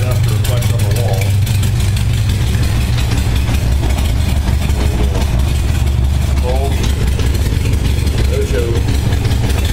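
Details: 1978 Honda Goldwing warming after a cold start, following carburettor sync, about 52°F ambient; steady, even low idle near 600 rpm, rising a touch as it warms, with no misses or knocks. Carburettors balanced and running sweetly.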